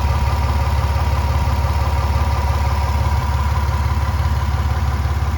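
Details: 1999 Toyota 4Runner (3rd gen), well kept and mechanically sound: deep, even idle with a steady low throb and no knocks, ticks or misses.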